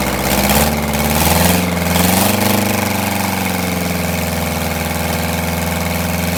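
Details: Detroit Diesel 8V92TA in a Wanderlodge RV running after a failed injector was replaced: idle wanders with uneven pulses and a loping beat, never settling; the misfire persists, later traced to a scored cylinder and cracked liners.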